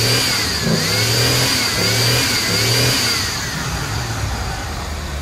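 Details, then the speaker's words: Old red Ford revived after sitting, fresh gas, cold start, fires right up, has oil pressure: starts and revs up and down cleanly with throttle, no misses or knocks; normal revving after cold start. "A 6.2 diesel being boosted won't start a daily driver, and this piece of wood just fires right up."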